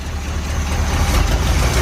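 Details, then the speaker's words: Barn-find 1970 Corvette V8 started after sitting 10 years, fed from a gas can: deep lumpy idle with an uneven exhaust beat, about 70 psi oil pressure, exhaust leak heard, no smoke; one cylinder missing, plugs or wires suspected. "oh yeah it sounds alright for having a miss plugs wires a single beat"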